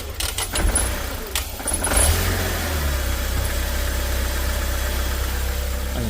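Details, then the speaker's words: Chinese Joylong van/bus, not yet warm and in open loop, idling unevenly with a lumpy pulsing rumble; customer reports rough running, stalling and power loss. "the vehicle is not warm as yet so I'm still in open loop right now it's running real [Music] rough"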